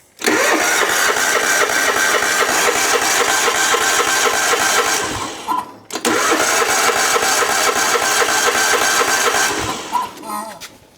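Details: John Deere lawn tractor, cranking after adding fresh fuel with the fuel pump line hooked up: long cranking runs, never fires; crank no start, very little fuel delivered, weak pump or bad pulse line suspected.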